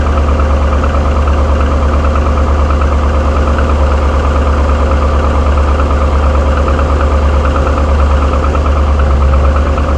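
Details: 2007 Trailblazer SS with a 6.0 LS2 V8 at steady idle with a light, quick knock about three per second: piston slap. GM claims it is normal and refused warranty repair.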